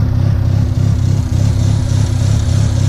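Lumpy, pulsing low idle, about three beats a second, loping unevenly; an unplugged vacuum hose is leaking air and making it run rough.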